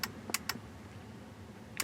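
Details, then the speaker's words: 2006 Ford F-250 with horn stuck on and blowing fuses: sharp, dry relay clicks in uneven bursts from the fuse panel, suspected stuck relay; a snapped wire tuft from the car alarm system was found nearby. "oh this is a stuck relay I'm gonna hear it popping like this whole whole fuse panel bad"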